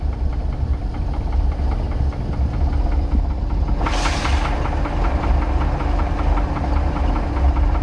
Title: 1990 Sea Ray Sundancer 454 engine knock